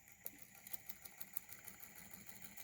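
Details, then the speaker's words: 3D-printed Newman motor on 12 volts with new round commutator, running smoother without the earlier thumping: light, regular ticks about six a second over a faint hum as the brush bumps the height step between copper foil segments. "a little bit but that's just the copper uh foil bumping up against the other copper foil because of the the difference in height"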